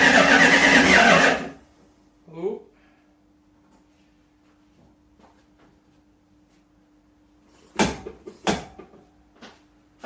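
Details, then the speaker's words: 1969 Plymouth Fury III first start in about a year with new exhaust, carb not yet tuned: engine catches and runs rough about a second and a half, then cuts dead, not yet pulling fuel from the tank; fuel starvation stall. "oh it's running out of gas anyway all right stand by we'll come back later this afternoon and uh we'll get that fuel problem worked out it's still not uh pulling it from the tank quite yet"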